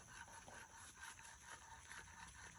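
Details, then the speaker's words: Original front strut removed from a BMW E93, worked by hand at max height: rhythmic soft hissing squish about twice a second; worn-out original shock absorber, being replaced. "That sounds terrible. It's still an original part."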